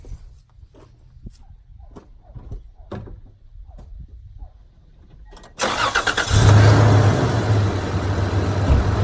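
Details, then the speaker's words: 2003 Toyota Tundra 3.4-litre V6, 2WD, almost 200,000 miles, reportedly bone stock: soft, even low hum at idle with no ticks or knocks, then comes up loud and steady; exceptionally quiet, healthy engine. "I'm sure you can hear that how quiet that is I honestly think that may be quieter than my 5:7 I mean this thing is just it it just pervs it amazes me how quiet this is with 200,000 miles on it"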